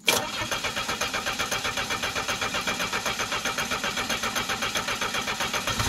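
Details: Engine on homemade woodgas system, gasoline fuel pump not working, valve control cables not yet run, battery borrowed from a van: steady, loud cranking at about four pulses a second, never keeps running. Crank no start.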